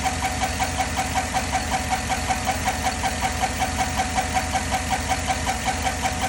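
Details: 2010 Chevy at idle: sharp, even tick following engine speed over the idle, from the valvetrain area; owner suspects lifters, not confirmed.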